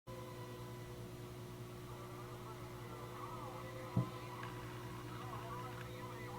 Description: Grant lt making weird noise...it tx and rx good...you only hear it with the volume turned down...or the squelch on.....really clean pretty radio.